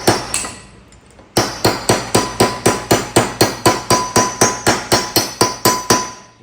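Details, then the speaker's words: Shovelhead motor build: an inner bearing is tapped in by hand with a punch, no press, about four taps a second. The ring changes to a firmer, clearer note once the bearing is fully seated. "hear the note change. So that is my inner bearing all fit."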